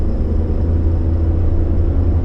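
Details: 2014 Ford F150 3.5L EcoBoost, test drive after new spark plugs to cure a misfire felt when stepping on it at low speed merging onto highway: deep, even engine drone pulling steadily under throttle with no stumbling or bucking.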